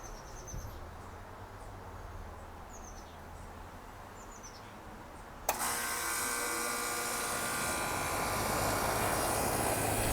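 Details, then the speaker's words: Outdoor AC condenser after repair (fuse reinstalled, capacitor work); earlier it made loud noise with the fan not running. Now it starts on cool and settles into a steady, even whoosh and hum with the fan turning. Normal startup and run. "Okay, it's all flash. Switching to cool, switching to on. And yes, the fan is moving."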